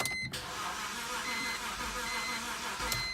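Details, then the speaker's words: 2010 BMW X3 after sitting three to four days, brake pedal unusually stiff, dash lights on: a strained, wavering starter whirr for about three seconds with no catch. A weak battery was the cause, and a new battery fixed it. "really trying notice how the lights are on in the car like the battery seems to be fine but it's she's crying just not just not making it over the hump there when it's starting"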